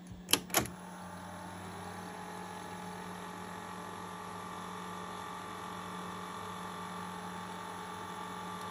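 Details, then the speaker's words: 1980 Sony Betamax SL-5800 Time Commander VCR, dormant for years, tested with a tape; mechanism clicks then steady even motor whir at constant pitch, rewind working normally. "rewind looks good this thing functions all right"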